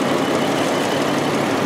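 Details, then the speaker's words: 2009 Jeep Wrangler 3.8L with code P0204, plugs and wires already replaced: the idle stumbles and skips badly with a dead beat, and one cylinder is not firing. The scope proved an open-circuit fuel injector caused the misfire. "skipping things skipping like a whatever skips this thing's skipping like crazy now"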